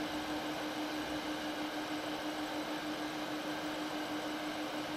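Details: LED96 WiFi projector from AliExpress, microphone right up against the unit: steady low-mid cooling-fan hum under soft airflow hiss, loudest this close but not strong; normal fan hum, though it is better not placed overhead.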